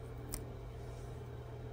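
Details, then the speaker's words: PTZ zoom camera with a properly functioning IR cut filter, IR turned on by taping over the photo sensor: one crisp short click over a faint steady hum as the filter switches, normal. "just took off the tape for that click hopefully it's a very audible click when the IRS turn on um and if there's a proper functioning IR cut filter you'll hear that click happen"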